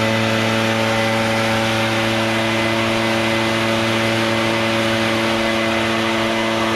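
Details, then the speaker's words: Barn-find Echo PB650 backpack blower, stored roughly 2–7 years, old gas drained and fresh gas added: loud, steady two-stroke roar with even high note, no surging or misfire; blows gravel strongly; normal running. "wow well it seems to work pretty good and that's powerful enough to blow that gravel around make a heck of a dust storm"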